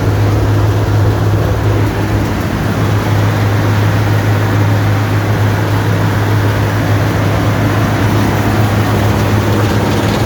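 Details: Allis-Chalmers Gleaner EA combine separation unit run for final checks before the threshing unit is refitted: loud steady low drone over ten seconds, no knocks or grinding from the threshing drum; not much noise, running normally.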